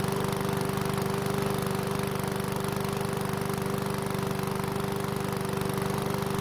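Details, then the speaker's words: One-season-old self-propelled Powersmart mower with the bigger engine, after fresh fuel and a no-start fix: starts first pull with brief smoke that clears, then a firm regular beat at constant pitch, no misses; healthy. "so the mower started on the first pull which is great news and even though it blew out some smoke it eventually went away"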